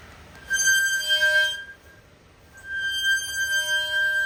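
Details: 2024 Toyota Tundra brakes: steady high-pitched squeal around 1.6 kHz with overtones, coming and going. Covered by TSB T-SB-0043-24; the fix was requested in September 2024 but parts were still delayed as of February 2025.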